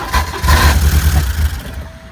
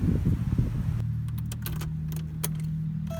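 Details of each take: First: 1987 Porsche 924S with a clogged fuel system, running on starting fluid: catches, revs for about a second and a half, then fades and dies; owner suspects the replacement injectors aren't firing or are plugged, clicking heard but no spray. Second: 1987 Porsche 924S after fixing an overlooked leftover intake gasket: starter grinds briefly, then the engine fires right up and settles into a steady, even idle with a smooth low rumble; normal running.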